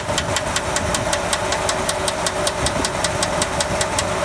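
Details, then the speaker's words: V8 idling before fix: sharp even ticking several times a second from one bank, with rough idle; valvetrain tick traced to #4 cylinder lifters, one collapsed, the other stuck solid; replaced with new primed roller lifters. "hear that out of that over there one lifter was collapsed the other one was stuck it would not budge at all"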